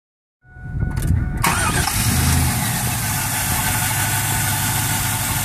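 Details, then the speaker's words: 1999 Chevrolet Camaro Z28 LS1 5.7 L V8 after new serpentine and A/C belts: quick crank, catches at once, steady even idle, no squeal or chirp; previous belt squeal gone, pulleys fine. "new belts put on. Car's quiet as hell now."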